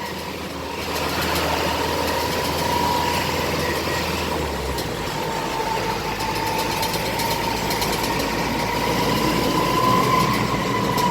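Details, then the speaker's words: Modified Hino Dutro 4x4 double-axle diesel truck on test drive: steady high whine over the diesel drone, holding fairly constant; transfer case noise, truck must return to workshop for transfer case readjustment or replacement. "Nah, itu noise dari transfer case. Jadi ini unit harus kita bawa pulang lagi ke workshop untuk dilakukan penyetelan ulang pada transfer case atau mengganti transfer case yang sudah tersedia atau yang sudah disetel."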